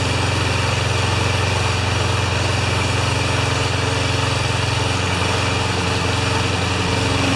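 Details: Honda mower with GCV160 engine, in for a released rusty rewind spring, warming up after start; steady even putter, no misses, surges or knocks; healthy.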